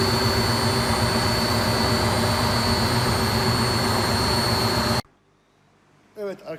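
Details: Beko D5 7101 washing machine after its plastic drum was cut open and the bearings and seal replaced: steady, even whir from the drum for five seconds with no grinding or rumble, then it stops; normal smooth spin.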